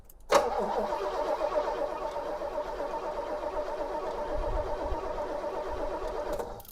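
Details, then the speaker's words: 1973 Pontiac LeMans, engine freed after being locked up, original spark plugs cleaned, carburetor still to be removed: even, steady starter whirr with smooth rhythmic chug, no binding; turns over freely, normal cranking. "real nice steady crank and I'm real happy about that."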